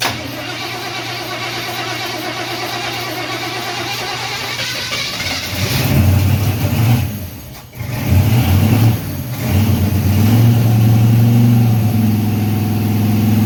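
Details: Freshly built Chevy 350 V8 first fire-up and break-in: cranks, catches, settles into a steady, even raised idle with a smooth low rumble, no knocks or ticks; oil pressure around 46 psi and rising; normal raised idle.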